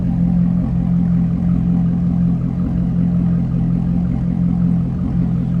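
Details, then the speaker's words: 2009 Chevrolet Corvette convertible, LS3 V8, no check engine light, recorded at the rear: deep, smooth, steady exhaust rumble from the tailpipes, no ticks or misses; healthy V8 idling evenly. "Again, nice deep throaty exhaust note."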